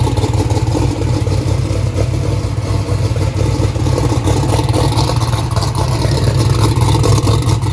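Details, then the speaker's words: 2500hp turbocharged 427ci small-block Ford race engine at first start-up, oil pressure 82 psi, not yet warm: loud, lumpy idle with an uneven clattery beat as one cylinder fails to fire, dash showing cylinder three not sparking; cylinder misfire from a loose spark plug wire. "we also found a loose spark plug wire that's the reason it was turning on the red light earlier"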